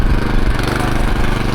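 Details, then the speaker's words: TroyBilt 18-inch Mustang tiller after replacing the broken drivebelt with an A57 belt: engine idles without turning the belt, then in forward gear chugs steadily under light load, even beat, no slipping or squeal; drive works normally. "See the engine's idling without turning the belt. Okay, we got in forward gear."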